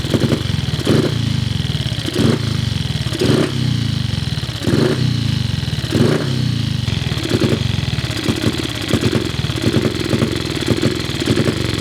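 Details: Cub single-cylinder motorcycle at start-up: thumps in uneven surges about every second, rising and sagging without settling; carburettor idle screw seems too short to raise the slide enough to idle.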